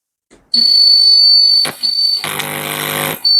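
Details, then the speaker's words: National FM 15 tape recorder, belts already replaced: a piercing high whistle/howl from the speaker starts on pressing play and persists on forward and reverse, even with no cassette playing. "இது என்ன ப்ராப்ளம்னா நம்ம tape recorder on பண்ண உடனே ஒரு பயங்கரமான சத்தம் வரும் நம்ம கேசட் போட்டாலும் கேசட் போடாது ஆனா ஸ்பீக்கர் பொத்துப்போகும் அந்த அளவுக்கு ஒரு பயங்கர சவுண்ட் வரும்"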